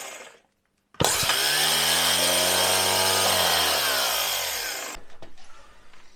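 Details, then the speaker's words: Jaguar XJ12 V12 starter (the one that came with the car), bench-tested: sharp switch-on, fast even whirring spin for four seconds, smooth wind-down. "This is the one that was on the engine, and I actually think it sounds healthier. Yeah, that sounds better."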